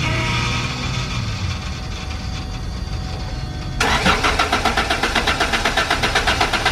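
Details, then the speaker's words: Car with a newly fitted distributor, running on fresh E85. Engine catches and settles into a choppy, pulsing run of about four beats a second, uneven and stumbling, and is still cutting out; a dirty fuel filter is suspected but not confirmed. "still cutting out like crazy I think so yeah yeah yeah yeah yeah yeah yeah maybe you got to clean his fuel filter or something"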